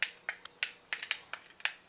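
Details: Motorized BEME e-Rod curtain motor unit: sharp dry irregular clicks about every quarter second, no motor hum; moves only one direction, power adapter swapped and ruled out; failed relay inside the motor unit.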